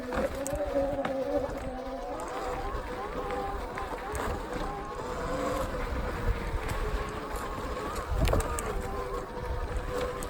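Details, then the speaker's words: Sur Ron X electric bike with 26-inch front wheel on a test ride: wavering mid-pitched whine rising and falling with wheel speed over wind rumble, from an overheated front brake. "You can hear that front brake whining."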